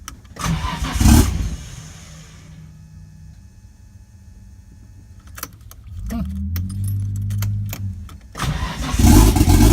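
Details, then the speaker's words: Datsun 240Z with RB20DET swap, first start after years, injectors checked working: long churn on the starter before it fires, then even idle and a hard rev; smoky. "all right she started sweet turn it off like I get cable I got started and smoky good"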